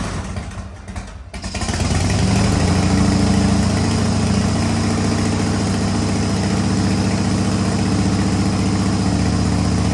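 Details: 1985 Harley-Davidson FXRS Evo V-twin, sat five years, new carburettor, oil-mixed fuel: cranks briefly, catches about a second in, settles into steady, even, lumpy idle near four beats a second, no knocks.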